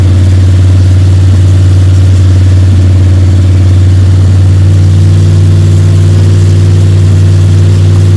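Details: Freshly built Ford 302 Cleveland V8 with Holley Sniper and new electronic distributor, first start, fast idle during cam break-in (~10–15 min), timing around 31°: strong, even deep drone, no ticking or rattles; healthy normal high idle.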